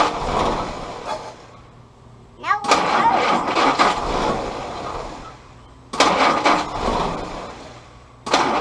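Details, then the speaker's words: Willys CJ2a Jeep L134 Go Devil four-cylinder with original carburetor refitted: repeated cranking bursts with irregular catches and sputters, won't keep running; timing suspected, distributor rotated slightly for more consistent firing. "so we're gonna try to maybe rotate the distributor just a little bit more and see if we can get with the fire a little more consistent change the timing just a little bit"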